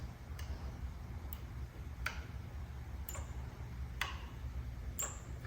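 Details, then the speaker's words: Acucraft gas fireplace proven-draft system pressure switch (internal micro switch), negative pressure from the power vent fan simulated by drawing and blowing on its tube: sharp isolated clicks about once a second over quiet room hum; switch flipping over normally. "So there you should have been able to hear me blowing on the tube or drawing on the tube and the switch flipping back and forth."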